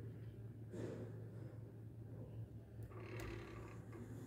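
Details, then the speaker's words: Elevator car descending: low steady hum broken by rough scraping bursts; a loose guide shoe protection plate shifts out of position on descent and rubs the guide rail. "ela vai encostar na guia causa desse barulho chato"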